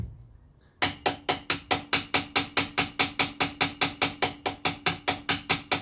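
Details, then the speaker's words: 1968 Datsun 1000 shed find: starter whirs with sharp, even clacks about twice a second but won't engage the flywheel, engine not turning; worn ring gear teeth suspected, not confirmed. "okay so there could be worn teeth on the um ring gear might not be engaging"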